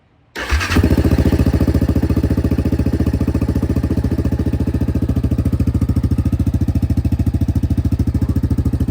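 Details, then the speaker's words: 2019 Yamaha Kodiak 700 ATV after replacing stock fuel pump (intermittent starting issues) with All Balls Racing pump, full tank: short crank, catches and settles into steady even idle with regular firing pulses; healthy start and idle. "So, the Kodiak is back um back running with the new All Balls racing fuel pump."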